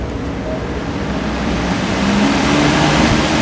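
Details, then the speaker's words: Older 14-inch metal box fan, General Electric motor, probably 4-pole shaded pole, drawing 1.4 amps, single on/off switch replacing failed 2-speed switch: switched on, low hum rising in pitch over seconds then settling into even whoosh; healthy startup. "Go to the amps and let's just turn it on. There's 1 speed. There it goes."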